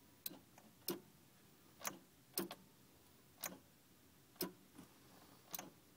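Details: Subaru-swapped car won't start: dry clicks about once a second with no cranking or firing; starter suspected.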